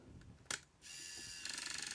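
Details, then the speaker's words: Aiwa AM-F75 MiniDisc recorder, lid closed, checking whether the laser sled reaches its position: faint motor whirr, then a quick run of light, regular clicking knocks; origin unknown. "that will show us whether the um laser sled is moving into the right position and That Knocking is not anything to do with the laser sled"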